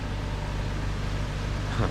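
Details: 2013 Toyota Tacoma V6, after replacing the bad AC compressor clutch and refitting the serpentine belt: low, steady idle hum with the AC on and no squeal or rattle from the front, sounding healthy.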